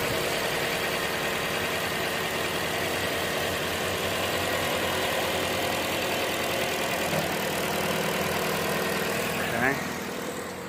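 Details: 2014 Chevy Sonic 1.8L non-turbo petrol, 84,000 miles, just after replacing the valve cover with its integrated PCV valve: steady, even idle hum with no ticking, misses or hunting; runs smoothly, and the check engine light went off.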